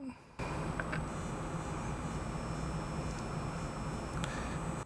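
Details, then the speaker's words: Mass Kobo 475 DAC/amp in single-ended mode with sensitive IEMs at half volume via 4.4mm interconnect: steady electronic hiss and buzz with faint high whistles, plus light taps on the screen; suspected ground connection issue. "you can hear this electronic sound that's coming from a dep which is you know a very good device really"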